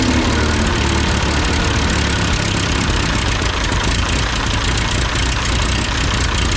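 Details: Ford 8N tractor after adjusting the carburetor: steady, even low rumble at idle with no misses, surging or hunting; engine running healthy.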